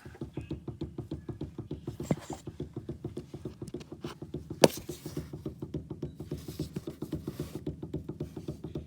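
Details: 2010 Nissan Maxima steering rack and pinion: rapid, even clunks as the wheel is rocked quickly back and forth, steering wheel also has play; owner asks whether the entire rack needs replacing.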